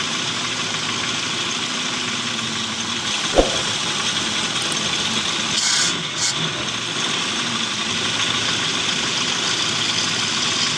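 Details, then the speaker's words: 1997 Toyota Kijang 5K carburetted engine, previously stalling and not starting, now running after carburettor air and fuel adjustment: smooth, even idle with a steady hiss and no stumbling, running normally before the distributor is replaced. "a&g teman-teman ini udah hidup normal seperti ini ya"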